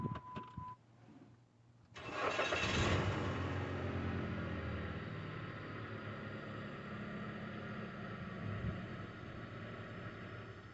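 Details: 2008 Jeep Compass 2.4 after fuel pump replacement: short crank catches quickly and settles into a steady, even idle with no misfire, stumble or knocking.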